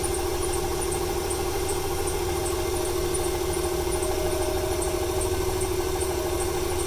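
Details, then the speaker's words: 1995 Ford 300 inline-six, over 400k miles: lumpy idle with about three stumbles a second, worse when gas applied; squeaky belt after rain, smoke from PCV; owner unsure if fuel or timing cause. "It started to stutter there a little bit more when I applied the gas right off the bat. Wonder if it's a fuel issue or a timing issue."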